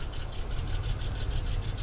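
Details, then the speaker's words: Salvage-yard car engine warming up, good cooling pressure, no water in oil: sharp regular tapping six or seven times a second over a rough low idle; knock at idle, suspected wrist pin or lifter valley, unconfirmed. "it will make noise like this and it will run rough like this it could be a wrist pin but something tells me it's it's going to be somewhere in the lifter Valley"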